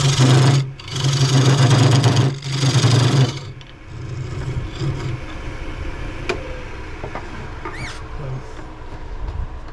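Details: Cheap benchtop wood lathe turning a chestnut oak bowl: loud, rough, grindy low drone with shaky rattle for three seconds, then it drops off; the lathe shakes, bogs and vibrates under the cut, loosening the chuck.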